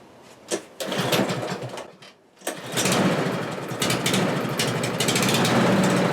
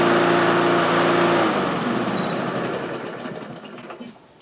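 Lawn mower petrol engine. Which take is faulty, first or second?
first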